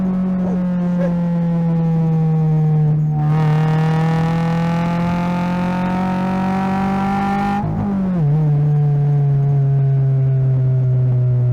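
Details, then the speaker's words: 2025 Toyota GR86 with HKS Hi-Power single exit exhaust and JDL front pipe and overpipe, after fixing the leak: clean, rising exhaust note with low-end rumble pulling smoothly at wide open throttle, no puffing or ticking; normal exhaust. "Ooh, it sounds good. Got a little um a little like low end rumble."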